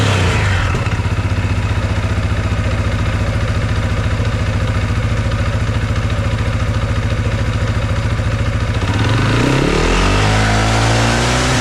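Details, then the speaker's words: 2021 CFMOTO 520S quad stuck in drive, running in neutral with the belt cover off. Steady idle with a fast even pulse and a tight belt whir, then a rev. The belt is too tight and drives the rear pulley instead of slipping, so the CVT clutch is stuck engaged. "thing I've noticed from running it is that even feeling it there, the belt is really tight. So it should be slipping on that front pulley and not driving the belt."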